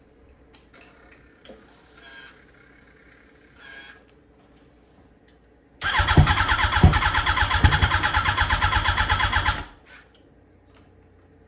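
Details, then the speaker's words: Wrecked 2006 Yamaha R1 that started after about 57 tries: revs hard for a few seconds with a thin whine over the exhaust, supercharger-like; source unclear, owner unsure whether it is the clutch. "So I'm gonna try to fix that, see if the clutch works, because it's making a weird sound. It sounds good, but it's got like a whine to it."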